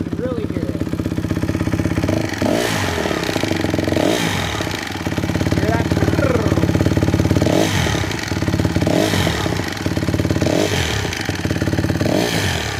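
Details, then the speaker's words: 2007 Honda CRF150R-B, idling with the choke off: a rattly tapping rides on the idle and jumps out on each throttle blip, seeming to come from the top end near the valves; cam or cam chain suspected, unconfirmed. "you can kind of hear a little bit of a noise from this side from this side it sounds like the very top up here around the valve area around this side same thing kind of hear noise somewhere right in here might be cam might be the cam chain I'm not sure"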